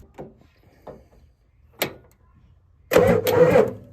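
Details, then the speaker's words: 1988 Ford F350 7.3 IDI diesel, sitting since the 1990s, battery at 12.5 V, starter jumped directly at the Ford starter solenoid: a few hesitant clicks, then a short loud burst of cranking; solenoid sticking a little, starter engages late. "Oh, she's definitely gonna crank. Solenoid is sticking a little bit, so that's good."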